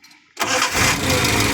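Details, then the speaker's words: Towed-in van that would not start, now repaired, stock carburetor, engine still cold; near silence then fires at once and settles into steady idle without cranking or stumbling: normal easy start. "Tengok, senang sekali start dia. Ulang sekali lagi. Sekali start je."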